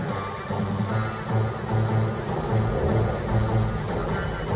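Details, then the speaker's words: Sinclair ZX Spectrum +3 playing Robocop 2 music over RF: dull, boomy tune with almost no treble, as if inside a biscuit tin or underwater. Muffled, distorted audio output; planned fix is replacing resistors R42 and R43. "it sounds like it's in a biscuit tin or something or underwater"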